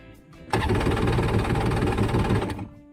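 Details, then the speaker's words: Two-stroke jet ski with freshly charged battery, water hose connected: quick, even cranking churn about two seconds that never catches, then stops; cranks but won't start, carburetor problem suspected. "so this is leading me to believe that we probably still have an issue with the carburetors because you know it should just run right after last time but obviously not"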